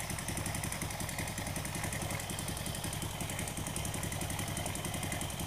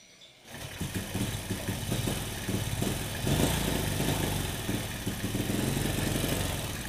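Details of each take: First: Honda Supra motorcycle after repair of plug fouling and black smoke, Kiwi carburetor air screw set about 1.75 turns: even, unbroken single-cylinder idle thump like a heartbeat, no stumbling or dying; normal idle. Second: Honda Supra motorcycle fouling spark plugs with black smoke despite new carburetor; after valve work, idle mixture screw being adjusted: uneven idle with wandering beat, revs rise unsteadily then die; plug gap not yet reset, idle mixture off.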